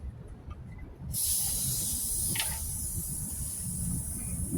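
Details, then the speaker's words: Coleman 426D three-burner camp stove, fuel tank pumped up after cleaning the pump's leather cup: a sharp steady hiss when the cap is loosened shows the tank is holding pressure. "can hear that hiss coming from the tank when you loosen the fuel tank cap so I think we're ready to go ahead and put this d-ring back on"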